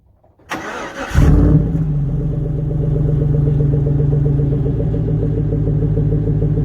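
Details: Stock 5.3 Chevy Silverado daily/work truck with a single exhaust through the Edelbrock muffler, before the Magnaflow swap. A brief crank, then the V8 catches with a deep burble and settles into a steady, even rumble: a clean, normal cold start and idle.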